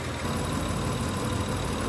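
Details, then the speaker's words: Honda truck with code P0108 (MAP sensor high signal), after the MAP sensor is fitted and codes cleared: engine starts right away and idles steady and even, no misfire, hunting or surging. Normal idle. "enciende la la patata como por arte de magia se escucha el motor bien berrón"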